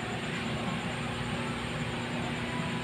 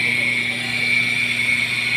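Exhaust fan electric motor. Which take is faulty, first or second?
second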